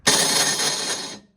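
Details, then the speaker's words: Yard Machines 10.5 28-inch snowblower, pull start works fine: electric start gives a harsh metallic ringing whir lasting about a second and the engine never catches; faulty electric starter, replaced with a new one. "so this is for your electric start so your pull start Works no problem has no issues but your electric start you go in and for some reason either doesn't kick in or it does"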